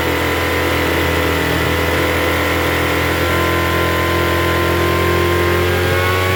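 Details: Troy-Bilt TB272V two-stroke leaf blower after turning the single-D carburetor mixture screw out about one and a half turns: steady fast-pitched buzz never settling lower; idles a little high, carb likely still needing adjustment.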